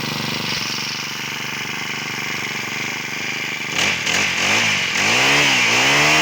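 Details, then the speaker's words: Honda GX35 four-stroke brush cutter after repair with genuine parts (brought in for stalling after running): runs steady and even, revs up and down cleanly with no misses or rattles; healthy, like factory-new. "ทสอบเสร็จเรียบร้อยมาฟังเสียงกันนะครับว่าเหมือนตอนออกมาจากโรงงานมั้ย"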